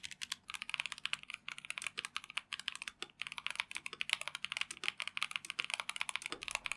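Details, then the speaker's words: Typing test of a Tecware Phantom+ RGB mechanical keyboard with Rage Orange switches (tactile, brown-like, 45g actuation): quick, even clacks of steady typing, soft and muted with no hollow ring or rattle; normal, well-dampened typing. "Ini typing test untuk TechWear Phantom Plus RGB Mechanical Keyboard dengan Rage Orange Switch."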